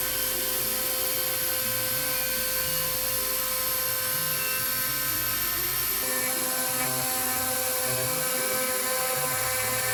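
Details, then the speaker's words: Warco WM250V three-phase variable-speed lathe cutting a part: high, wavering whine with rough, chattering edge, pitch shifting with load; spindle described as on its last legs, worn and broken, repair planned later. "although for those of you who follow the channel you'll know this spindle is on its last legs it's uh yeah it's pretty broken and poorly so that's a a project for the uh for the list as well"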